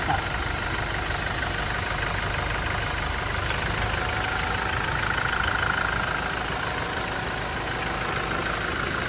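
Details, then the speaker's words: Toyota Innova 2.8 diesel, earlier noisy (makalansing) with oil warning light, after cleaning heavily sludged oil pressure sender: steady, even, quiet idle with no rattle or knock, back to normal, no warning light. "Ayan, tahimik na yung andar mga boss. Bumalik na sa dati."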